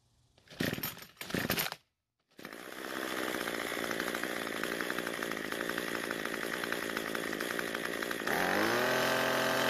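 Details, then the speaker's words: Cub Cadet two-stroke trimmer that ran at full throttle but died at idle, after turning the L (low-speed) carburetor screw about a quarter turn counterclockwise for a lean mixture: starts, idles steadily, then revs smoothly when throttled, normal idle and throttle response. "we got really lucky and we didn't need to adjust it that much we did have to make more adjustments we'd have to adjust the idle screw to compensate for the extra fuel but not this time"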